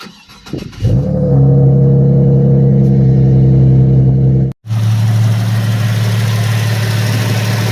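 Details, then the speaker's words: Cadillac STS/CTS/SRX LY7 V6 after maintenance, started and idling evenly with light regular fuel-injector ticking; no rattle or grinding, normal running. "so that ticking you hear it's the fuel injectors doing their job but there is no rattle no grinding no crazy noises it's just a running engine"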